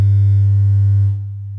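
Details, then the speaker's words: Miller & Kreisel VX-7 subwoofer amp after replacing electrolytic capacitors, resoldering and retensioning Molex connector and cleaning pots, 100 Hz test tone at unchanged generator level: strong clean low hum, no buzz or crackle; louder than before repair. "definitely get more audio than we did before so i have not increased the signal generator audio level it's still at the exact same point"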